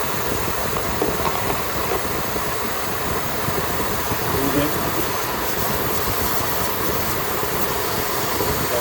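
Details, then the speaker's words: 2016 Ford F150 idling, brake malfunction light with code P050F: steady airy hiss from a vacuum leak at the brake booster vacuum switch and grommet (engine-vacuum fed, no pump); fix is replacing switch and grommet, then clearing codes. "that's the problem especially if there's no drivability or braking problems the problem is that switch you can hear the hissing"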